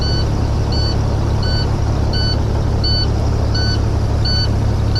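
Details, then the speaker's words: Detroit diesel semi truck with check engine and stop engine lights and a reported engine noise: sharp, high electronic warning beep about every 0.7 seconds over a steady diesel idle; exact cause unknown. "Oh, well, I can hear the beep from here. Yeah. Unless the ECM's malfunction is just doing it for the fun of it."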